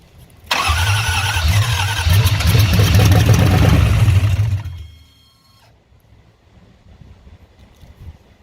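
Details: 1968 Bronco with Coyote engine swap and new fuel injection, first start attempt: heavy rhythmic cranking about three turns a second for four seconds, brief lumpy firing, then dies; bright green gas later found in fuel rail, injectors and fuel system cleaned.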